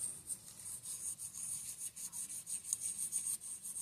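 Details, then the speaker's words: Fox DPS Evol rear shock teardown, damaged; rotating the eyelet bushing gives a quiet dry rasping scrape about four times a second, showing grit has worn the bushing, with debris inside the shock. "Okay so there's one bushing there's one bushing here obviously it's not around anymore but you hear the abrasiveness in"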